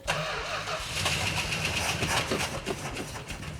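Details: Richard Petty Superbird, choke opened before cranking: brisk cranking turns straight into a running engine that settles into a rough but steady idle; it starts normally.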